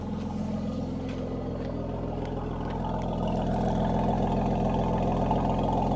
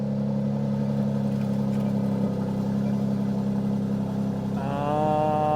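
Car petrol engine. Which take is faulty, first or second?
second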